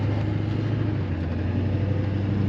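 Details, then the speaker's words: LB7 6.6 Duramax diesel after fitting a new set of injectors, driving on throttle: steady, even drone with smooth low rumble, no knocks or misses; normal running, though transmission shudders slightly on shifts, probably needing fluid and filter. "sounds good transmission shutters a little bit when she shifts probably needs a a fluid exchange and a new filter"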